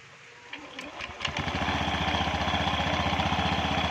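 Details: Honda Beat scooter started with the starter after its CVT was reinstalled and the engine oil and gear oil were changed; a brief starter whir, then the engine catches and settles into an even, steady putter with no knocks or rattles, a healthy idle.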